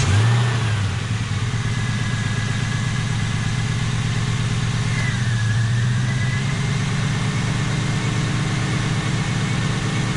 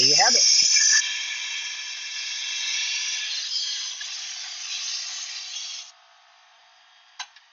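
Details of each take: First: 1999-2004 Mustang GT V8 just after a spark plug thread repair with insert and Loctite, new Motorcraft plugs: steady, even idle with smooth low burble, no misses, rough running or nasty noises; repair judged done correctly. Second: 1999-2004 Ford Mustang GT during spark plug repair: compressed air into the cylinder gives a steady high hiss escaping through the motor, meaning a valve is open; crank is turned until valves close.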